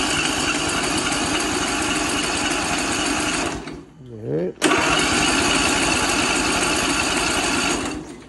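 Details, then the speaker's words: 22 HP lawnmower engine that was flooded with brackish water, freed with oil and WD40, carb refitted, fresh fuel, choked: fast, even cranking with wet, spluttering edge, no catch; water in cylinders blowing out exhaust. "All right. So, it wasn't a fuel leak. It's actually water coming out of the exhaust while I'm cranking it."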